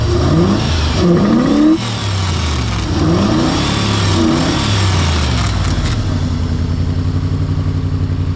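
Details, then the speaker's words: Mercury Grand Marquis 4.6 V8 with 109,000 miles, revved hard: it runs rough, with lumpy, uneven revs, a choppy exhaust beat at idle and some vibration. The owner suspects it may be running on 7 cylinders and sees steam or smoke. The cause is unconfirmed. "But it doesn't run great, but it does run."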